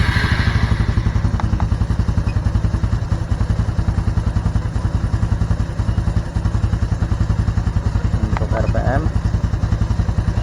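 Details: Honda Supra X 125 Fi (KYZ) idling at about 1200–1300 rpm, judged normal: even, steady low putter with a regular beat, no knocks, ticks or surging; healthy small engine idle.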